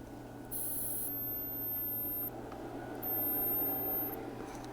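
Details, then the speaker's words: Kessler Crane camera-crane control box powered on the bench: faint hum with two sharp one-second bursts of high-pitched hissing whine from the failing power MOSFET, later measured at 250 degrees and cooked; to be replaced. "it's making like a weird hissing sound yeah that mosfet is toast look at that yeah i don't think it should be doing that god that is very ominous sounding it's scary"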